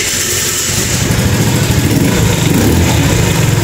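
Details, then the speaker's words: Kuba Valentino 50cc scooter after rocker arm (valve) adjustment, previously slightly loose and tapping: idles with a quick, even putter, higher pitch, running smoothly. "Birazcık gevşek bıraktığım için şık şıkır vuruyordu aslında gayet güzeldi de ben daha güzel yapmak istedim şimdi tam oldu"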